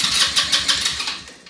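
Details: Elstar 150cc single-gear 2WD quad bike, long stored, first start attempt in neutral with dry tank just refilled: starter whirs in rapid even pulses over a second, slowing, never fires; cranks but won't start, later fuel lines found deteriorated.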